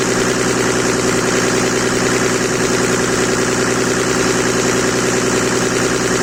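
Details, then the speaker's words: Mercedes W124 with OM606 diesel swap: engine sits at a constant high speed for seconds without returning toward idle; revs hanging up or possibly running away, cause unknown. "That sounded like it was running away, or it was holding that high rev."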